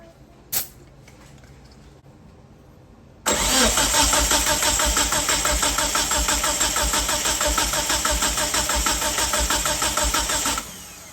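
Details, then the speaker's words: 1997 Mitsubishi Eclipse GSX compression test cranking: even, steady chuff about three beats a second, every stroke alike; readings around 170–180 psi, healthy, balanced compression; engine has no spark. "But yeah, 175, 180 almost. 175, 170."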